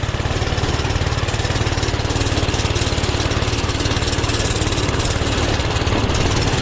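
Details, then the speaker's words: Doodle Bug minibike with a worn clutch, at full throttle climbing a hill under riding load: fast, even firing that never climbs, smothered and boggy, zero power though idle is great; owner unsure whether carb adjustment or jets; engine bogging from choke left on. "she should definitely be choing a lot more than this this is this is unacceptable like look at this power trying to go up this hill it wants it it's there Full Throttle like ain't no way"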